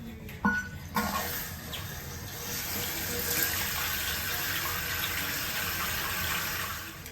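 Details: New Fluidmaster Performax universal fill valve just installed to cure a whistling toilet: steady rushing hiss of the tank refilling, smooth with no whistle or screech.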